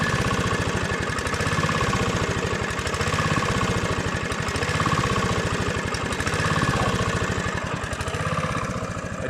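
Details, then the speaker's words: Honda GV150 single-cylinder engine test after rebuild, transmission not yet reassembled. Even, fairly quick beat with steady exhaust pulses and no knock, fairly round on acceleration. Normal running. "plutôt rond à l'accélération"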